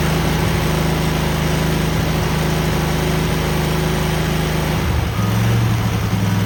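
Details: Cub Cadet garden tractor twin with new spark plugs and an uncleaned carburetor, choke frozen; electric clutch works. A steady low thrum with an even beat and a brief load change near the end, no misses or knocks: runs smoothly.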